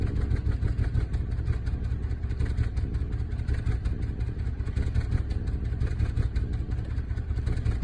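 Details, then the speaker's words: Volvo S80 T6 misfire: deep lumpy, shaking idle with uneven pulses that never settles; check engine light on, restarting doesn't help, cause unknown. "Check engine light came on. It's really shaky."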